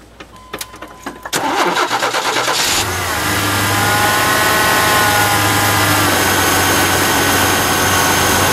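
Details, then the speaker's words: Second Cardone remanufactured power steering pump, noisy right out of the box (the first lasted a month before whining): the engine catches after a short crank and idles with a thin steady whine. Suspected bad pump bearings; a used salvage pump later ran quietly. "this is the second one in too much noise here right right out of the box sounds like it has bad bearings and rigid whatever"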